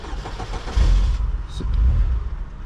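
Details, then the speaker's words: 2002 Saturn L200, battery extremely dead and on charger, no module communication: catches with a low rumble, runs unevenly a second or two and sags; starts then stalls, then crank no-start. "starts installs well now it's a crank no start"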